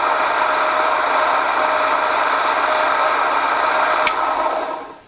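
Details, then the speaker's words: ZJ4110 Chinese 8-inch drill press after cleanup with bearings re-pressed: loud steady whir with a rattly edge from the spindle, louder than before, then winding down; owner suspects binding and the center rod banging up. "for some reason that rod that goes up in the center here is banging up"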